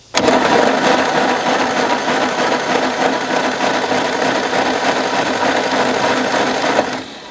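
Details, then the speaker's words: 1964 Chevy Biscayne abandoned 30+ years, after fixing wiring connections: starter spins the engine with an even, lumpy churn about three beats a second, compression apparently present; no start yet, spark next to be checked. Cranking compression check. "There we go. Well, that sounds not good. It does spin though."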